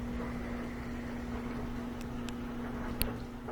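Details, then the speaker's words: Whirlpool direct drive washer, fault of not finishing cycle from too much detergent: constant low pump hum with water noise, no grinding or rattle. "it'll pick up speed in a little bit and the drain will become active and it'll shoot all that water out"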